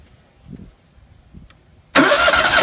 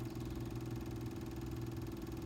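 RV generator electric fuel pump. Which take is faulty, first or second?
second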